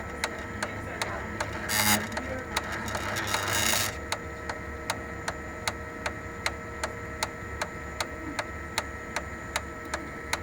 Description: Sharp MX6240 MX7040 ticking noise from fuser drive gears. Cluster including bearings and gears are bad and needs replacement.